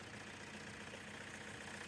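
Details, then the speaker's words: Renault 19 diesel at 417k miles, just after new steering rack bushes and dog-bone mount, with the exhaust not yet reconnected. Harsh, raspy, unmuffled idle rattle; loud because the exhaust is disconnected. "so just need to get the exhaust bag on and then she's ready to drive Lads well I hope you can hear me because uh she started and she's pretty loud"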